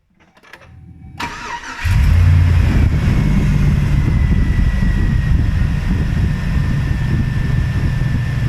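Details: 2003 GMC Sierra V8 after clutch fan removal and reinstallation: cranks, catches and settles into a smooth, even low rumble with steady rhythm; healthy idle, no engine lights.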